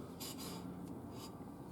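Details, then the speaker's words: 2006 Scion xB rear drum brake, new drums and Brembo shoes replacing Centric shoes that wore out in 6,000 miles, drum turned by hand: quiet light scrape coming and going; very tiny rub, handbrake six clicks and firm, adjustment judged about right. "there's a very tiny rub there I'm going to call that good the handbrake came up six clicks and it was hard so I think I've got this one adjusted about right"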